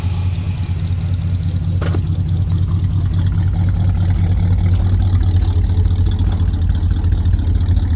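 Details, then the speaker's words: Carbureted 1951 car, spring maintenance after oil and plug change, steady even low idle with no knocks or misses, after mixture screws were adjusted from a bit rich. "I adjust the air mixture screws on it. Runs better there now. I just love that sound."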